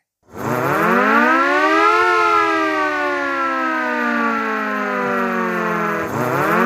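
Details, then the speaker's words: An air siren that had only run weakly and intermittently, now wired up and run after the repair. Its wail climbs for about two seconds, holds strong, sags slightly, then winds back up. The siren motor is spinning fully and freely, running normally. "अब यह हम इसकी wire लगाएंगे और चला के दिखाएंगे। यहां पर आप देखें यह चल गया है।"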